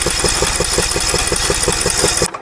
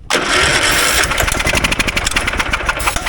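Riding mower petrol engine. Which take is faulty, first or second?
first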